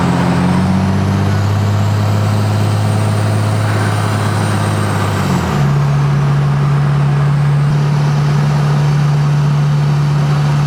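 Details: 2005 Dodge Ram 3500 dually 5.9 Cummins with a newly installed Fleece Cheetah turbo after the old turbo failed, driving and pulling in third gear at about 900 EGT: steady diesel drone with a faint even whistle, smooth gear change; turbo spooling normally.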